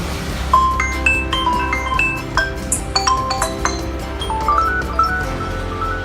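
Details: Xiaomi Redmi 4X after replacing the PM8940 power IC to fix distorted or absent audio: bright marimba tune plays cleanly, no crackle, buzz or dropouts; speaker now normal.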